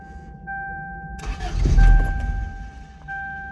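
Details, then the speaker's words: 1995 Toyota Corolla 1.6 with new battery, which had been dying after running a few minutes: a chime, then the starter cranks about a second without catching. Cranks but won't start; cause unknown. "See, it's like kind of it sounds like it's gonna start, but it won't like start really, like to make the engine run."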